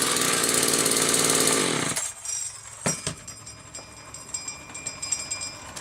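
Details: Homelite XL-2 chainsaw, test run just after repair finished: crisp, high, even two-stroke buzz for two seconds, then clean shutdown with no misfire or stumble. Normal, healthy running.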